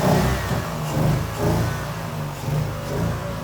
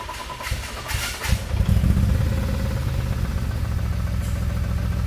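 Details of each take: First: BMW-engine-swapped Nissan S13 now idles with gentle, slightly uneven swells and no hiss or stumble; it previously ran badly and scanner fuel trims showed bank 2 very lean, and fixing a vacuum leak made it run good. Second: BMW-engine-swapped Nissan S13 idles with an uneven, lumpy, stumbling beat and runs badly. Before the fix: the misfire was traced to a vacuum leak.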